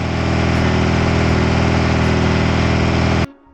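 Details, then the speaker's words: 1986 Suzuki Katana four-cylinder, first start after 31 years unused, choke held on with forceps: uneven, lumpy idle with a loping beat before cutting out; running on only two cylinders per exhaust temperature probe, owner suspects coil pack. "although the engine was running it wasn't running all four cylinders so we got out the thermal temperature probe and zap the exhaust to decide which ones will burning and which ones"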